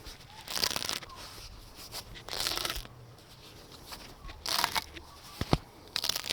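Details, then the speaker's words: Original heater hose removed from a 2008 Subaru Forester (SH9, EJ253, 4EAT) and twisted beside the mic, giving dry crackling and crunching from the deteriorated interior rubber; well past due, replaced with new hoses. "So just going to hold the hose up to my mic and I'll twist it and you'll be able to hear the interior cracking."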